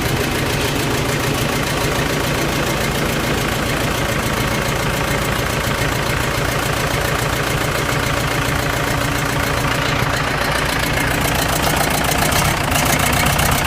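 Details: Case 1840 skid steer Cummins 4BT diesel, first start after a rebuild (broken #4 rod holed the block, broke the camshaft, bent the valves): an even, steady four-cylinder idle clatter with no knocks or misses; a healthy idle.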